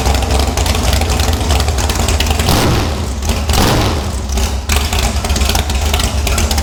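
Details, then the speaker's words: Airboat engine after the boat was wrecked runs at a steady, even low drumming idle with no knocks, misses or rattles; sounds good, smells like it's running a little rich. "Sounds good to me. Smells like it's running a little bit rich, but better rich than lean, I guess."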